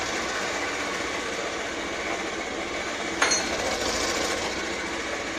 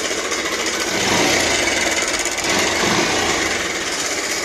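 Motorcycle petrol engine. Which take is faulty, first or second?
second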